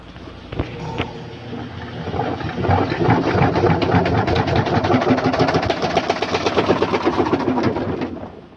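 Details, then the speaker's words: Whirlpool LSP1080GP 10.8 kg top-load washer, quiet in wash but noisy only in spin: rapid clattering knocks build as spin starts and the drum wobbles; 3 drum-holder screws missing and 5 loose, fixed by cleaning and replacing/tightening screws. "ang ingay niya, kumakalampag. Pero pag sa wash, wala naman tayong problema. Sa spin lang."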